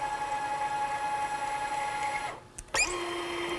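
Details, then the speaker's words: Manual tapping with a tapping head, Molly D lubricant, light downward pressure at start: thin steady squeal through the cut, dropping lower as the tap reverses; normal cutting, and the head no longer clutches out. "You can kind of hear it squeak a little bit. Before it would just kind of clutch out."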